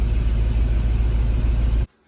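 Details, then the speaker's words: Mercedes E55 AMG after maintenance, codes cleared, at idle; steady deep rumble with ragged puffing edge, exhaust leak still present, likely at the back of cylinder 4 near a missing plug; cylinders 4 and 1 acting up, new plugs suspected. "all the codes and star her up and listen for that exhaust leak still hear it a bit so we're going to have to figure that out and still cylinder 4 and one are acting up so probably just need new plugs"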